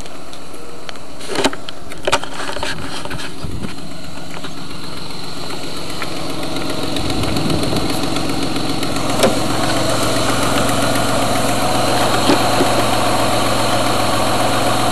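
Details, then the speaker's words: Truck petrol engine idling during a warm-up: steady idle with a faint, quick ticking underneath; owner suspects an exhaust leak on the front manifold, not confirmed. "If you listen closely, you can actually hear the engine tick. It's driving me nuts. It's exhaust leak on the front manifold."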